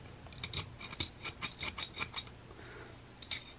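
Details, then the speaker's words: Colt Combat Unit 1911 pistol after a brutal swamp mud trial: short rasping metal scrapes as the magazine catch is worked, gritty grinding from dirt packed into the mechanism despite grease. "that's the magazine catch trying to keep the dirt off of the thing and then Yancey hear that grinding"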